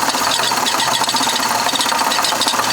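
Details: Chevy Impala started on a very cold day, engine visibly wobbling: dense, busy metallic rattle over idle; owner suspected the timing belt, but it turned out to be the water pump.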